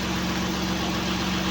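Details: Acura MDX J35A5 V6 after repair: knock cured by replacing No. 4 piston, freeing stuck rings, flushing nearly all-clogged oil passages and fitting new gaskets; smooth, even idle with steady low hum, no ticking or knocking, sounds healthy.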